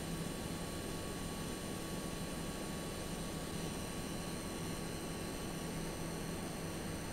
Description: This is a video demonstrating the coil whine the AMD Radeon RX6800 (non-XT) is producing while playing a game.